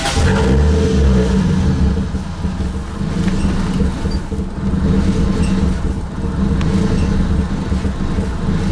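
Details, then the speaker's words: Toyota Supra daily with 2JZ-GTE running NA (turbo hardware fitted but not boosting), also lean in boost: idling with low uneven pulse and slight hunting while O2 sensor warms; idling very lean, cause unknown (injector or coil suspected). "it's just idling it like super, super lean. Well, that's because it's like idling too lean."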